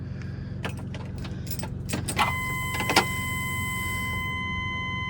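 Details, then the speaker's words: 2002 Holiday Vacationer RV that sat for years and would not start, after a fuel pump replacement, key-on: a few clicks, then a steady thin whine for several seconds; the new fuel pump is priming normally. "I hear it I spell fuel go ahead try to crank it"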